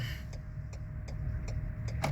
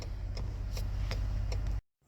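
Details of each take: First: Turn signal blinking fast in cold weather, with quick light ticks about every 0.35 s over a low idle rumble; one rear signal bulb is lit but not blinking, and the owner suspects a busted bulb (TPMS light also on). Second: Crisp indicator clicks about every 0.4 seconds over low engine hum after replacing the bulb; turn signal now flashes at normal rate, no longer hyperflashing.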